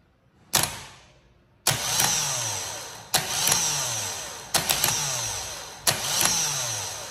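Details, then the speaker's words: Vectra starter tested by touching the positive terminal with a loose screw: five short high whirs, each cutting out and winding down with dead gaps; works only sometimes, intermittent starter, could leave the car not starting. "hora que ele funciona tem hora que ele não funciona e esse aí é meu maior problema"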